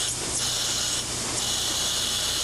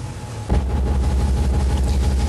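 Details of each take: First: Control valve cavitation test: as inlet pressure rises from 100 to 150 to 200 psig, noise and vibration increase to about 108 dBA, heard as a loud gravelly hiss like sand rushing through the pipe downstream of the valve. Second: Control valve test rig with a 70–80 psid differential at the higher 200 psig inlet pressure, where no cavitation occurs. A smooth, steady low rumble of water through the valve with no crackling: normal flow.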